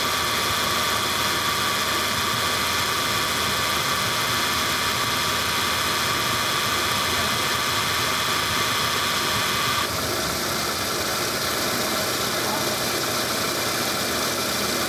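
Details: Car AC compressor, engine idling: a steady rough hiss and growl with a faint tone that drops out partway, the "ngorok" growl of a damaged AC compressor.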